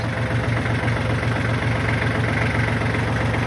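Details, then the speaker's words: Kubota tractor diesel the day after tightening loose oil pan drain plug bolts to fix an oil leak: fired right up, oil pressure light good; even, low regular idle thrum with no misses, knocks or hunting; engine sounds healthy. "Tractor runs good, sounds good. Y'all heard the engine."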